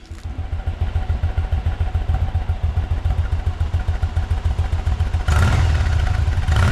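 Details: Yamaha V Star V-twin motorcycle, first start after service (oil change with three quarts, exhaust refitted, AGM battery recharged): steady lumpy idle beat about three to four pulses a second, then revs rise briefly; runs healthy.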